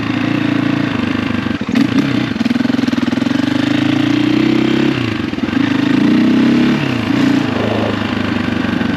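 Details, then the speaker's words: 2004 KTM 450 EXC single-cylinder ridden after new forks fitted, not fully warmed up, long unridden, dead battery: crisp bark rising and falling smoothly through gear pulls, no knocks, rattles or weird noises; normal running, though chain keeps going loose. "So far, so good. It really did feel good. Everything feels good, no weird noises."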